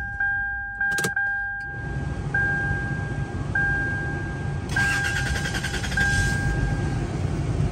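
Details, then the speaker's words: 2000 Toyota 4Runner 5VZ, after MAF sensor replacement for hard starting (fault previously took almost double to start after cooling); warm start: door chime, starter catches almost instantly, smooth even idle. Normal warm start. "tan rápido como debiera pero pero sí está aprendiendo bastante rápido cuando presenta la falla tarda casi el doble emprender"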